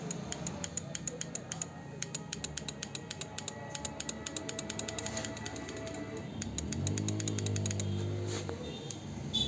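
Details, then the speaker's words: Suzuki Hayate motorcycle in neutral, wiring checked fine: pressing the self-start button gives quick dry "tak tak" clicks, about four a second, with no cranking; dusty, worn starter motor brushes stop it turning. "जब हम self का button दबा रहे तो टक टक टक sound आ रहा है और सेल्फ से स्टार्ट नहीं हो रही"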